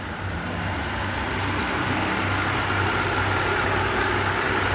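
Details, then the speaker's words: 2015 Kia Optima after cylinder 2 misfire repair (ignition coil and spark plug replaced), idling with AC on: smooth, even idle, steady low hum rising slightly under AC load, no skips or stumbles; fault fixed, normal idle. "ठीक है जी, ये सेट हो गया। ये इसका मसला था।"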